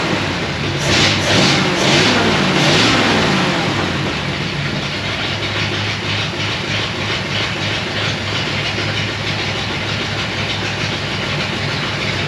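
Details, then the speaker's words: 1937 Ford with a 59AB flathead V8 after the failed new condenser was swapped for an old used one. It fires up and settles into a steady, even beat with no misses. Normal running. "there we go it was a condenser the cheap freaking junk condenser i bought from whoever bob drinker that one of the hot rod places had failed"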